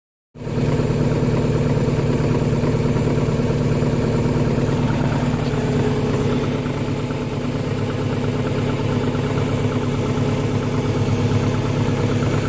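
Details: 1998 Subaru Impreza 2.5RS at idle: steady even knock about three to four beats a second over a low hum; owner unsure whether it is rod knock, piston slap or something else.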